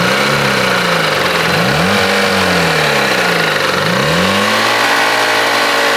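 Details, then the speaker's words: Jeep started by jump start from a Honda and left to warm up: uneven idle with wavering tones rising and falling over the engine note, as if something is spinning that shouldn't; cause unknown; abnormal engine noise at idle. "needless to say something is not good with the Jeep and I don't know what it is"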